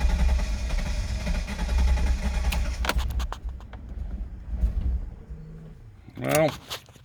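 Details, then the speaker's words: 2000 Chevrolet Corvette C5, long-sitting barn find, first start attempt: catches and runs rough about three seconds then dies; starts then stalls, low fuel pressure suspected, fuel pump to be cycled. "started for a second there let's try it again huh"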